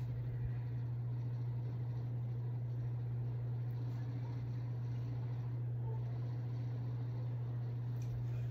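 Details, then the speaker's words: Harbor Breeze ceiling fan several years old, running on high: steady low hum throughout, owner says it rattles a bit after start-up, rattle hard to pick out; rattle and loud hum from wear, cause unconfirmed. "I've had it for years so it makes a bit of a rally noise probably after it starts up and making that loud hum that you might hear on most fans"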